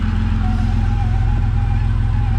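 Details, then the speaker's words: Vauxhall VXR with newly installed engine, first start: steady, even low idle rumble, faint whine on top from the power steering pump awaiting replacement; engine itself smooth, normal idle. "Other than that, I mean, she is sounding sweet."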